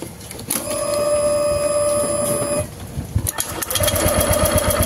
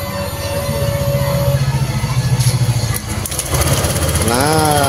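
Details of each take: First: Honda Vario 150 scooter, died with no ignition: starter cranks rhythmically but never catches; spark at the plug very small and intermittent, pointing to weak ignition coil. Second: Honda Vario 150 scooter with lost ignition, after fitting a new ignition coil: fires and settles into quick even putter with clean pulses; fault was only the coil.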